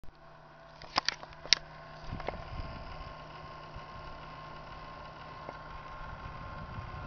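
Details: Computer power supply unit: steady low hum with thin high tones and fan-like hiss, which lasted about an hour and then stopped; dust already cleaned out, owner worried about overheating; abnormal PSU noise.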